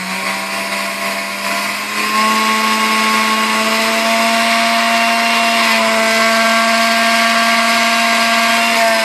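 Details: Fully restored Sunbeam Mixmaster Model 7B after slight adjustment: clean steady whir stepping up in pitch through the speed range, no rattling or barking, so capacitor is good; healthy mixer motor.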